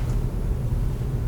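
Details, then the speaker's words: 4th-gen Toyota 4Runner, after replacing and greasing front sway bar bushings to chase a front-end clunk, reversing slowly in driveway: low steady rumble with no knock or clunk, where 5 to 10 clunks used to occur; bushings may have been the cause. "Those sway bar bushings might have been it, because that's the first time I've backed up in my driveway and not had a single clunk."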